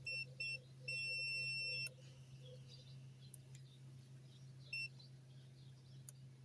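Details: Toyota Corolla power window switch tested with a meter while diagnosing windows that won't go up or down: sharp high beeps, one long and several short, as the contact closes; normal switch continuity.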